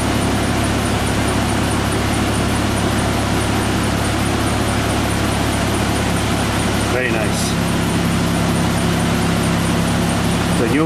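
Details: Isuzu Rodeo after replacing the fuel pump, which drew about 7 amps running. The engine catches quickly and settles into a steady, even idle with no stumbling or misfire; fuel delivery is healthy.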